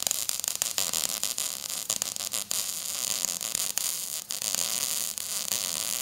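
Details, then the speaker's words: MIG weld laid at an angle in a C pattern, dragging: steady frying hiss with occasional sharp spatter pops from hitting some spots; overall a decent weld with good penetration. "you can hear some of the popping that was going on with that I was meaning I was hitting that men I was hitting some spots there for the most part that's not too bad of a a weld"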